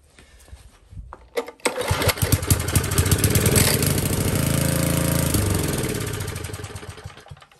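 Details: Old Tecumseh four-stroke edger engine catches after a pull, revs unevenly, then winds down and dies; rough running, probably fuel starvation or a lean carburetor, owner suspects it needs the main jet opened.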